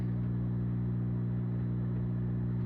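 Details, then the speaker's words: Zaxxon arcade cabinet after monitor neck-board and solder repairs: steady low hum unchanged throughout with no rhythm or knock, a constant electrical buzz from the cabinet; source unknown. "Oh, this is the old style interlock switch where it doesn't pull out. Still has the hum."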